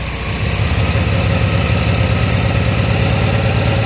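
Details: Honda Pacific Coast converted to MicroSquirt fuel injection, after fixing a wiring mistake, coolant just warming: steady, even firing at fast idle (about 1300 rpm), no knocks, misses or stumbles; engine runs smoothly.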